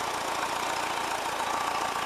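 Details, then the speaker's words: 1979 VW Westfalia Bay Window air-cooled engine during charging-system fault check, charging about 13 volts, problem only at initial start-up: steady even idle with busy fan whir, no knocks or misses; running fine with plenty of power. "It's running alright and everything, it's going alright, plenty of power."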